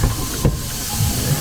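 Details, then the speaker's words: 2012 VW Transporter T5 after a timing belt failure, new belt fitted, engine turned over by hand with a ratchet: soft irregular popping puffs and hiss back through the intake manifold; bent valves suspected, cylinder head must come off. "when I was winding it over we have got some exhaust uh Inlet valves that have definitely bent cuz it was winding it over I could get it pop po po pop pop popping back through the manifold"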